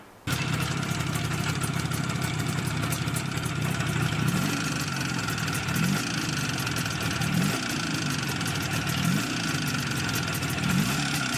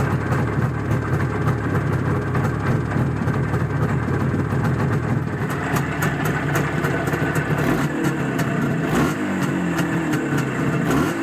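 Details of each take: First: Izh Jupiter 5 two-stroke twin with balanced engine and factory Izhmash pistons, after 100 km: metallic ringing from the cylinder over steady idle. Piston slap, as the pistons' taper exceeded the repair size. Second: Izh Jupiter 5 two-stroke twin with balanced crankshaft: crisp buzz, clean throttle blips, no knocking or rattles. Normal running.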